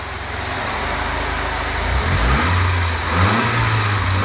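Steady, even four-cylinder idle with a smooth low pulse and a brief blip of throttle; every cylinder is pulling its weight.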